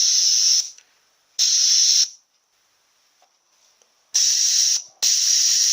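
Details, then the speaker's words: Jeep Cherokee A340/AW4 automatic transmission shift solenoid (normally closed) on a bench test with 70 psi air at 10.4 V: clean bursts of air hiss each time it is energised, silent between. Normal solenoid operation. "You can hear that leak opening when we put power to it. So this solenoid is actually normally closed, and when we put the power to it, it opens. That one's operating quite well."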